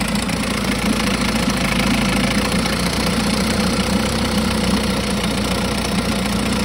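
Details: 1952 Johnson SeaHorse 10hp two-stroke outboard, trash-found, running without carburetor rebuild or new impeller: steady, even buzz at constant speed, no misses or knocks. Runs good; needs only a pull rope, O-rings, apparently a twist grip and a gas leak fix.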